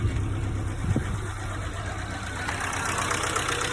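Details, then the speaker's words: Chery Amulet petrol engine at idle runs rough with a clattery, diesel-like knock; cause unconfirmed, owner plans additives (compression booster, high-mileage engine treatment) to test; engine knock at idle. "на нём можно эксперименты поставить но конкретно Меня интересует стук двигателя"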